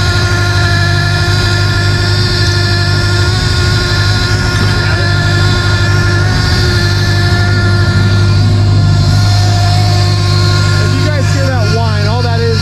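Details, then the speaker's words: Forester STI build first start with new fuel system: steady idle with a constant whine on top from air in the power steering, which was fully drained; pump moans until the system is bled. "I could make the power steering noise go away, but man, does she sound good, guys. She sounds really good. Let's see if we can get this power steering to go away."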